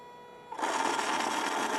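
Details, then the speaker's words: Small 3 V DC motor run at 5 V from external supply via Arduino Uno PWM and a 2003 driver, potentiometer turned up: quiet tone, then motor starts slow and smooth into an even high-pitched whir; normal running. "So I turn the pod up. We have no PWM signal at all now as we start to get into it. Notice how nice and slow and smooth the motor starts."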